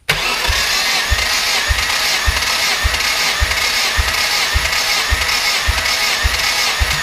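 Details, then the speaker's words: Nissan KA-T engine cranking during a compression test with a capful of oil added to each cylinder; steady high starter whine with an even compression beat a little under two per second; readings about 135–140 psi, though test admitted done wrong; normal cranking. "Try a cap full of oil down each cylinder, and then we're gonna start cranking, and you'll see what that's like."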